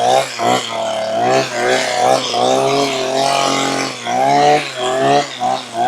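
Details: Makita petrol hedge trimmer, about 15 years old, after replacing perished fuel lines that let air in (it bogged and cut out when tilted): small two-stroke revs crisply with quick throttle blips, no bogging; repaired.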